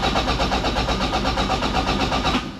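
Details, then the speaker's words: 686 bhp time-attack Toyota MR2, not started for a while despite a battery charge, very small battery: steady rapid cranking that never catches, then winds down and drags; cranks but won't start, low battery. "so usually that first time it doesn't start and then the next time it will ah battery's low damn it it's got a very small battery so it runs out quite quickly"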